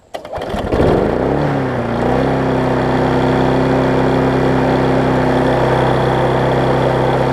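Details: Husqvarna self-propelled mower after service and turning the throttle down a touch: catches, settles within two seconds and holds a smooth, even buzz with a steady note; normal running.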